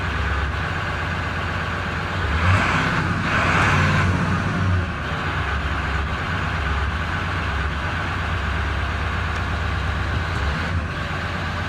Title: 7.3 powerstroke rough idle .HELP!.!